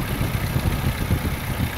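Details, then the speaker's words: 1997 Chevy S10 at idle, customer complaint of a diesel-like noise that gets worse as the engine warms; rough clattery beat over the low rumble, likely a timing chain rattle, with the timing chain later replaced. "customer complaints was the noise i hope you guys can hear it sounds like a diesel kind of and as i get gets warmer it gets worse"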